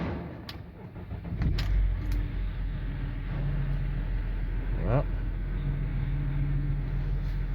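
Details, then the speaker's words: Car at idle after draining and refilling the power steering fluid, engine started after turning the wheel with the engine off: a low steady groan that swells as the wheel is turned, from air bubbles in the fluid being purged. "voilà on entend ça grogne donc ça va servir à purger en fait vous avez chassé toutes les bulles d'air qui sont dans l'huile"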